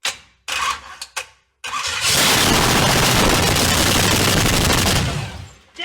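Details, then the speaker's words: 500hp V8 in a Honda, run on half gas, half starter fluid; loud, crackly engine catches after a few coughs, roars evenly about three seconds and dies, sounding healthy. "that sounds pretty good! So, we've heard it run. It's ran for 20 or 30 seconds. It sounds good."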